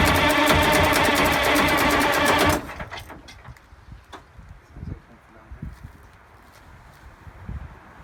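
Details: GM 4104 bus two-stroke diesel sitting about nine years, after freeing four stuck injectors and replacing bad starter: fast, even chattering beat for about two and a half seconds, then cuts off; turning over and firing.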